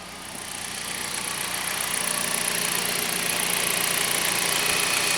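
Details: 2008 Jeep Patriot Limited just restarted after an oil change, ABS lights now on: even, quick ticking over a steady mid-pitched hum that settles after start-up, no irregular knocks or misses; healthy, normal idle.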